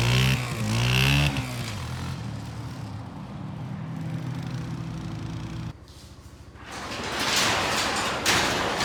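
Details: Kawasaki Bayou 220 barn-find ATV on test drive after carburetor cleaning, straightened racks, rear right wheel bearing, seal and drum brakes: single-cylinder pulls cleanly, revs freely over wind noise, no knocks or misses; running really good.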